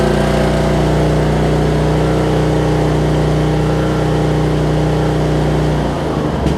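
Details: 2007 Craftsman LT2000 riding mower, Briggs and Stratton engine, after sitting and backfiring on start; steady even putter with no popping or stumbling, then clean shutdown; healthy idle.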